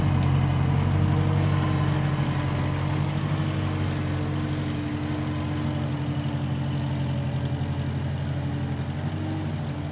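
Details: 1955 Massey Ferguson MF65 tractor, run after sitting a couple of years, carb cleaned; owner thinks the Marvel Schebler carburetor needs slight dialing in. Steady low rumble, even beat about four pulses a second, no misses or knocks: normal running.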